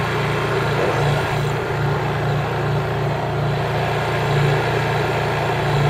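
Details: New Honda EU3000is generator (GX200 engine) in eco mode with no load after running a buffer: smooth, even, very quiet drone at constant speed, no surging or knocks; normal running.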